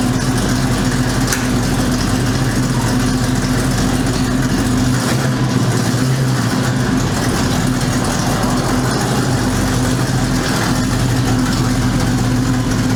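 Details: 1973 Ford Mustang Mach 1 with 351 Cleveland V8, sat since last fall: rough, loud idle with a raspy chuff in the exhaust note, from a blown exhaust manifold gasket before repair. Exhaust manifold gasket leak.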